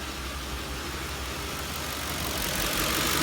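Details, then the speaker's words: 2004–2008 Ford F-150/Expedition/Navigator 5.4L 3-valve V8 at idle, check engine light with cylinder 7 misfire code: uneven low thump about four stumbles a second, rpm dipping to about 400; misfire persisted after coil pack change, spark plug suspected. "it would go down to about 400 and just go back and forth miss them pretty bad"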